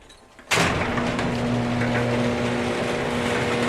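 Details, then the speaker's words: Worm-drive garage door opener, previously noisy and creaking, after lubricating hinges, rollers, springs and pivots with 3-in-1 Garage Door Lube: motor starts with a thump, then even drone and steady low hum; creaking no longer stands out. "HIT THAT BUTTON LETS SEE WHAT THIS SOUNDS LIKE NOW WE ALREADY GOT THIS ONE RIGHT SOME OF THAT CREAKING MIGHT START TO GO AWAY"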